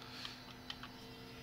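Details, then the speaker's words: Mercedes S320 throttle body on the bench after wiring repair and cleaning, coil checked, powered: steady electric hum and buzz with faint clicks as the motor holds the plate at preset opening; normal, working. "I also you will also hear that humming sound and buzzing noise sort of electric sound so here's the power here is our noise"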